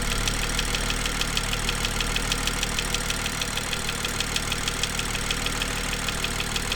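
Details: BMW M2 N55 engine at cold idle during warm-up (sped-up recording): sharp, even ticking, about two a second, from the exhaust camshaft area. A rare exhaust camshaft fault, fixed under warranty.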